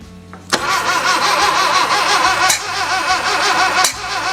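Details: 1966 Datsun 520 truck abandoned 40 years, after rebuilding the spark plugs, rejuvenating the battery and reinstalling the wires: steady starter cranking with uneven compression pulses and a couple of brief firing catches, but it never runs; no start.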